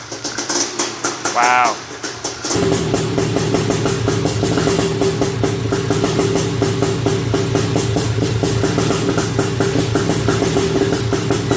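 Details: Honda TRX250R two-stroke, first start after switching from HPI to OEM ignition at zero-degree timing, 38:1 premix: a few kicks, then catches and runs with quick crisp even crackle; starts and runs fine.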